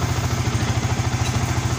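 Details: Yamaha Vixion motorcycle, after repair of a problem where it ran but would not take throttle and showed a blinking indicator light; steady, even low putter at idle with no misses or knocks. Normal, smooth idle.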